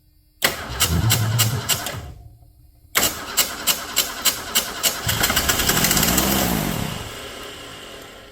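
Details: 1979 Ford Mustang, sat 32 years, carburetor refitted near EGR valve; irregular uneven cranking bursts, dead pause, rough catch dying away; starter not engaging cleanly.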